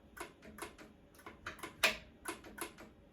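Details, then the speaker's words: Ariens 1336 Pro snowblower electric chute motor not turning; faint light ticks every fraction of a second with no running hum; motor stuck, found corroded with worn brushes, before test-light check of power and ground. "I hear the motor giving a little tick tick, so I'm 99% sure, but let's just start with the basics."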